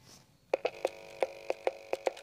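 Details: Synertech video doorbell phone after water-damage repair, push switch replaced and board cleaned: a rapid string of about ten bright, tinny ring pulses at uneven spacing shows the doorbell now rings properly inside.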